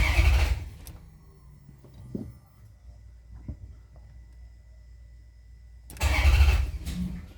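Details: Maserati GranSport after alternator replacement (fuel rails and injectors and intake manifold removed and refitted): starter cranks under a second and quits even when START is held, then another short burst; takes 3 to 8+ attempts, then runs fine with no codes.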